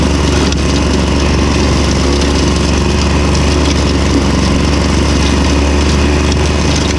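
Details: Victa Super 24 / Super 600 70-series two-stroke mower, idle about 8 years, started cold after carb split and cleaning plus new fuel: loud, steady buzz without misses or stumbles; running evenly and healthy.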